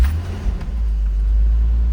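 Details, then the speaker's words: Toyota Supra started after sitting a long time, with the old fuel tank refitted, fuel lines and battery hooked up and the MAF reconnected: catches and settles into a deep, steady rumble with no misses or knocks. Normal idle. "oh yeah baby oh yeah baby so y'all looking at it right y'all seeing is live in real time hasn't ran and since i don't know since i don't even know when"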